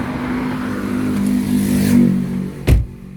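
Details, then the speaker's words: Ford Focus PowerShift dual-clutch automatic, before repair, test drive with transmission fault code: revs climb for about two seconds and hang high before dropping; upshifts delayed or sometimes not happening, jerky shifting. "อาการเกียร์เข้าเกียร์ไม่ค่อยเปลี่ยนครับรอบสูงรอบสูงลากรอบสูงครับก็จะเปลี่ยนบางครั้งก็ไม่เปลี่ยนนะครับ"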